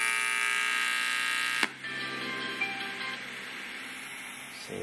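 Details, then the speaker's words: Homemade Bluetooth speaker with TDA2005 amplifier, old Motorola S9 headset and gaming-chair parts: loud buzz at turn-on drops to a faint steady hiss; owner believes a ground loop causes it. "one of the issues I have been having with this I believe it's because of a ground loop is this noise when I turn on the speaker"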